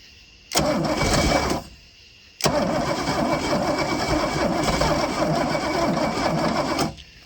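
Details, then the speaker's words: Boat engine's first fire attempt in 21 years, about 80°F, on starting fluid: cranks briefly, then catches and runs rough and lumpy for four seconds before dying; owner says timing is very late, fuel supply also suspected. "got really late timing i can tell but it tried to fire okay"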